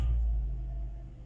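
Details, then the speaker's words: 2019 Chevrolet Spark just after start-up: low, uneven, faltering engine rumble, customer complains of frequent stumbling; check engine light, code 84 and DTC P16A1 sensor communication fault from damaged sensor wiring. "السيارة فيها رجي، فيها قطشي."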